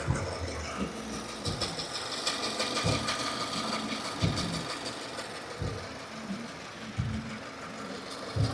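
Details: 2015 Subaru Forester, warm idle out of warmup mode: light chattering whir pulsing every second or so, out of step with engine rotation; new since days before, lifter or rocker roller issue suspected; source unclear.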